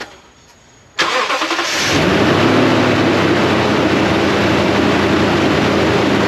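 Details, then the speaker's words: 2012-ish Toyota Tundra after replacing the drive belt and both worn idler pulleys: cranks, catches and settles into a steady high cold idle that drops, with no belt squeak, rattle or grind. "It's a high idle currently because the engine is cold, but it just went down. Listen to that. Can't even hear the belt. No squeak, no rattle, no grind."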